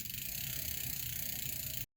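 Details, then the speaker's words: Bicycle after a new shifter cable and front derailleur adjustment, checked through the gears up to the top third gear: light, even chain and freewheel clicking with no grinding or skipping. The gears shift properly. "Okay, just went into that gear. Now it's going to go to the top third gear. Okay, I don't think I checked all the way, and it does."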